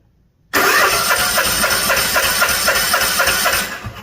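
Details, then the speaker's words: Two-cylinder Cub Cadet zero-turn mower during a compression test with a charged battery: strong, even cranking at about four beats a second with no hesitation, reading about 160 on cylinder one. Good compression. "so we got about one how much 160 about 160 on cylinder one so let's change this over to cylinder 2 now"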